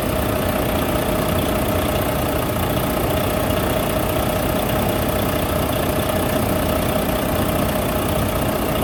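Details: Volvo D13 semi truck diesel engine after repair of a loud knocking noise: steady, even idle with no knocking through the normal clatter; sounds healthy.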